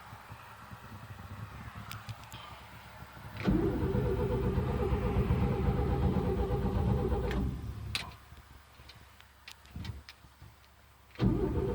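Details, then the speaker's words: 1972 Chevy pickup sitting a long time after storm damage: starter churns steadily about four seconds, engine turning but not catching, then a short second crank; no start, fuel filter suspected. "this thing has got to pump some fuel through it before i get to the engine because i've been sitting a long time"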